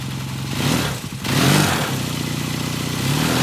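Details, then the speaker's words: 1978 Kawasaki KZ400 after exhaust and carburetor install: catches cleanly, revs and settles into an even, crisp idle, no misses or knocks; runs very nicely. "The bike runs very nicely. Um uh I bet you it fires right off like butter."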